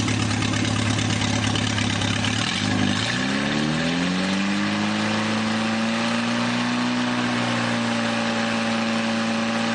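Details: Newly rebuilt 2.1L TR4A four-cylinder, first run test, straight pipe without muffler: revs smoothly from idle and settles to steady even note, no knocks or shake; well balanced, normal running.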